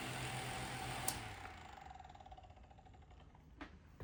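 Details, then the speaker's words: Unbranded 6-inch fan (120 V, 0.25 A, 60 Hz) giving a quiet motor hum with a light, even ticking rattle about four per second; something loose in the motor, worn thrust washer suspected. "Yeah, there's definitely something loose in there in the motor, as we've seen before."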